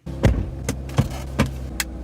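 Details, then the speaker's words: Mazda RX-8 six-speed manual, not fully warmed up, after neutral switch repair for P0850: even low idle no longer surging on cold start — steady cold idle. "right so the first thing I'll notice is the car has not fully warmed up and the idle is no longer surging"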